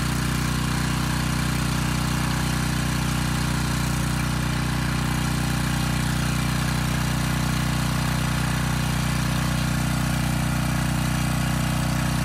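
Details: Briggs & Stratton Storm Responder generator repowered with a replacement 10 HP Briggs engine (old oil, carb unserviced), first test run: steady even drone, no misses, knocks or surging, output about 114 V; normal running.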